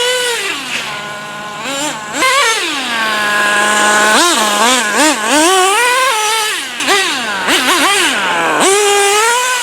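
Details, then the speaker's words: Traxxas T-Maxx 3.3 nitro engine running in cold, snowy weather after sitting 8+ years, carburetor richened slightly for the cold: sharp, repeated throttle blips rise and fall smoothly and return cleanly; running healthy. "so as you just saw the truck ran great we just got done burning through a whole tank of fuel all I had to do was just rich in the carburetor just a tiny bit since it's so cold out but uh this thing ran awesome"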